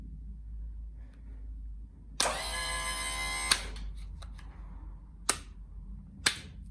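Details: Pop-Up scissor lift bought at auction, powered by a small jump pack: steady hum and whine for about 1.5 seconds, then stops with a few clunks; pump motor runs normally.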